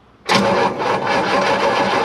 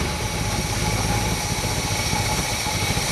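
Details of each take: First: 1958 Chevrolet Bel Air 350 V8, long-sitting, hot-wired, battery sounds weak: even starter cranking about two seconds without a single firing stroke; spark tester shows nothing. No spark, crank no start. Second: 1958 Chevrolet Bel Air 350 V8, fed fuel from the tank: steady even low rumble holding constant speed without stumbles or misses. Normal idle, running on its own.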